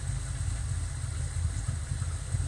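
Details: Fox Body V8 at idle with large long-term fuel trims: a deep, uneven, lumpy beat with small stumbles. Rough idle; the owner calls it stumbly, thinks it probably needs a tune and suspects very old O2 sensors.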